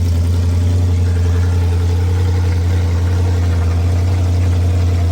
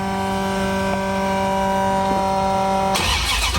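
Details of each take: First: 1973 Dodge Dart with a rebuilt 360 V8, started after the distributor was disturbed. Very loud open-pipe sound with a deep, lumpy, even, lazy idle beat; the timing is retarded, so all plug wires need moving over one. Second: 1973 Dodge Dart rebuilt 360 V8 after all plug wires were moved over one to advance the timing. A steady, extremely loud V8 with even low firing pulses, then revs as it drives off; it runs great apart from a minor coolant leak.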